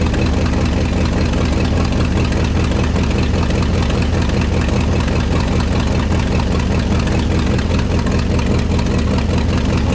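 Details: 1969 Ford F-100 FE V8, revived after sitting: heavy idle on all 8 cylinders with a rough, uneven puffing pulse about two per second over the rumble, a large exhaust manifold leak; headers planned as the fix.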